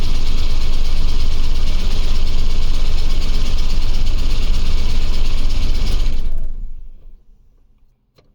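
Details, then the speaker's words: OBS Ford crew cab truck first start after battery install; heavy, rough idle with deep steady knock about three per second, then shuts off; oil pressure and voltage fine, lots of oil on dipstick; bottom-end knock, cause unconfirmed. "really terrified that it's just going to explode all over the driveway the oil pressure looks fine the battery voltage is fine everything looks okay it just sounds like it wants to not be in the engine bay anymore"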